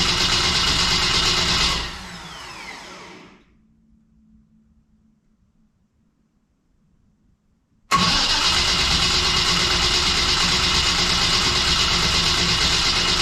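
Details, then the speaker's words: Steady, even cranking for about two seconds that never catches, then silence, on a newly built stock-block LS at first start; not enough fuel pressure built, and the battery's safety cut power. "we're just trying to build fuel pressure I didn't build enough to start off that first time and then it uh shut the battery off because the battery has a little safety"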